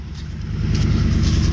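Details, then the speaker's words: 1996 Ford Mustang GT V8, revived after sitting, smoke clearing as it warms: uneven, lumpy idle with slight wavering; running rough, owner suspects clogged injectors, fuel injector cleaner added to tank. "you can hear it's kind of running a little rough so it hadn't smoothed out yet we probably got some injectors that are that are uh kind of clogged up"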